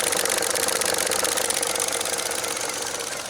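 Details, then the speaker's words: 2014 Chevrolet Cruze 1.8L after replacing a stuck-open purge valve for code P0496: fast, light ticking, about four per second, at idle as the valve cycles at a 14% duty cycle; normal operation. "you can actually kind of hear it clicking now if you feel it opening in and out or you know opening and closing really quick at I think the scan tool said 14% so that's a 14% duty cycle of this thing"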